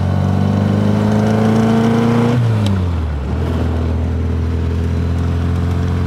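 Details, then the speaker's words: Triumph MKIII Spitfire (Weber carburettor) test drive after fitting new Centric PQ Pro glaze-busting coated disc pads replacing worn pads: engine and road tones fall smoothly under hard braking out of gear, no squeal, grinding or scraping; normal quiet braking. "want to hear is nothing you don't want to hear a brake squeal or anything"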